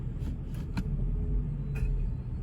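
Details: 2015 Infiniti Q70L at about 15,800 miles, idling: sharp metallic clinks from the rear when shifting between drive and reverse, the harmless Nissan/Infiniti rear axle click, louder with windows down.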